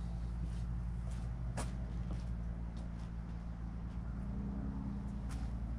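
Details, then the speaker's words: 1958 Dodge Coronet Lancer V8, a barn find that sat 30 years, run in dropping temperatures. Uneven, loping rumble with irregular stumbles: not firing on all eight cylinders. Owner suspects the points. "so I'm gonna try these points I'm definitely convinced it's not running on eight cylinders"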